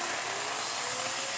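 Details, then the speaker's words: Well-used turbo brush tool on a restored Electrolux D820M (Lux 1 Royal) vacuum: harsh airy roar, thin high whine and gritty rattle as it spins; sounds terrible but works, unlikely ever to sound better. "I mean, for as bad as that sounds, and unfortunately it's probably never going to sound any better, it is a well-used little tool, bless it."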